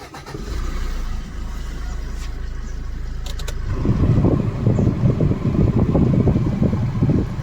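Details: Maruti Suzuki Swift/SX4 diesel, previously not starting due to an unmatched transponder key (immobilizer light blinking): short crank, then a steady, even low diesel rumble; it starts and runs normally.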